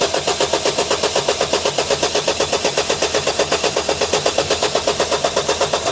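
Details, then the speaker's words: Vauxhall Vivaro diesel van cranking evenly at about four beats a second but never firing, even with easy start; fuel pressure is low and no diesel returns. Crank no start because the immobiliser is not reading the key, not a fuel fault. "So, yes, this is what I missed on the first first first pass and then I was chasing wrong the fuel pressure. The fuel pressure was because we didn't have the key written to the vehicle."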